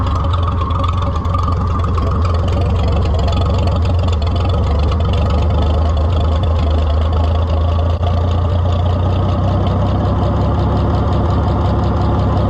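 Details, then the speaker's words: White 2-70 gas tractor test-fired during repairs after fuel was shut off for overflowing: deep, steady low rumble idle with an even beat, no misses or surging; runs cleanly. "I'm thinking that sweetheart [Music] really don't run bad at all"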